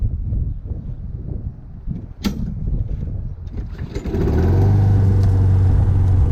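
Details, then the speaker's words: Free Craftsman push mower, cold start on the first pull: handling noise, then the engine catches and settles into a steady, even single-cylinder drone; starts easily, normal running. "first P it's going to start guys that's with the exhaust coal see that is a cold start right there man we're in business"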